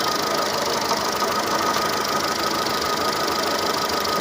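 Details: Seat Ibiza 6L 1.4 petrol with engine light on, running on three cylinders with exhaust bangs; idle stays uneven and shaky, unchanged when coil four is pulled, so that cylinder is already misfiring. Coil or spark plug suspected, not confirmed.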